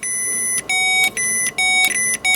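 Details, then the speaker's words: 39-year-old Ford F150, crank no start: high, thin electric whine cutting in and out in short bursts as power is jumpered directly to the fuel pump pin; pump runs when fed directly. "do you hear that I don't know if you can hear when I send power down to this wire these wires look a little bit discolored because they are old listen I hear the pump"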